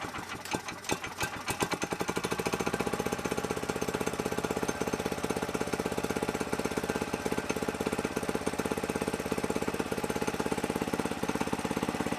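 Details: Small single-cylinder air-cooled go-kart engine with an aftermarket carburetor, belt removed to rev freely, kill wire disconnected: single pull, a few uneven chuffs, then settles into a fast, even popping beat; starts and runs fine.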